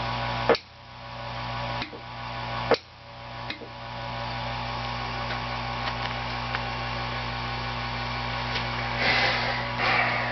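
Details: GE NOS 6JE6C tubes glowing blue with sharp irregular ticks over a steady hum while running; tube ticking.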